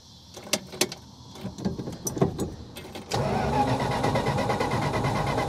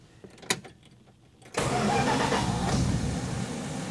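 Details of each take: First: 1966 Plymouth Fury, wiring soldered, new coil, 12 volts and good ground confirmed: a few clicks, then the starter spins the engine at an even churning beat for several seconds but it never fires; no spark, cause unknown. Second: 1966 Plymouth Fury after rewiring the ignition resistor block connections: clicks and cranking, then fires cleanly into a smooth, steady idle with no bucking, surging or backfires; normal start.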